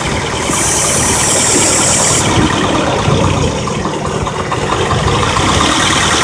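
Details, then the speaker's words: 1991 Honda Prelude idling in the rain while carb cleaner is sprayed near a hose: hiss, then idle turns uneven and stumbles, revealing a vacuum leak; owner may re-clamp the hose. "that we almost all the motor so we got a problem right there there's a vacuum leak"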